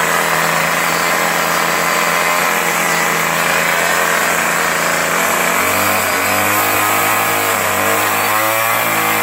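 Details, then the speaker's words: Troy-Bilt 25cc 2-cycle curved-shaft trimmer, salvaged, spark plug filed and replacement carburetor fitted, test run in snow with no cutting: loud steady high two-stroke buzz shifting smoothly with throttle; normal running. "So I'm going to fire that up to show you how good it runs. There's snow on the ground, so this is just a test run."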